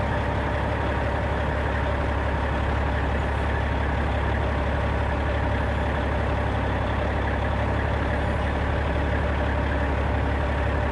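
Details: 1995 Western Star with Cat 3406E diesel after new 6-inch Grand Rock exhaust replaced the holed, sheared-flex-pipe system: idles with deep, steady, even rumble, no ticks or rattles; healthy exhaust note.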